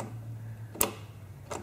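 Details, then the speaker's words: Riding lawn mower fuel shutoff solenoid, fed 12 volts from the key switch: a single sharp click as the key comes on, then a fainter one in a quiet room; the valve opens normally, and a failing one could cut gas mid-mow. "so watch when I turn the key on one click see it opens when you turn a lot more off shut the gas off"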